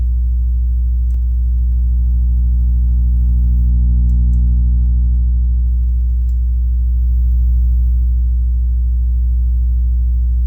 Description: Strange noise when playing 60hz sine wave with different volume